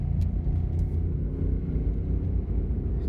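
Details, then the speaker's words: 2007 Toyota Prius driven at about 30 mph (kept under 45) after 300 miles: a deep, constant growl and rumble from a badly worn front left wheel bearing with about 1/8 inch play. Replacing the bearing fixed it. "this is what a really bad wheel bearing sounds like"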